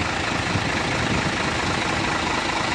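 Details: Hino 500 FM 260 Ti J08E diesel engine after rebuild/assembly: smooth, even idle with a steady clatter and no knocks, misses or odd noises; sounds healthy.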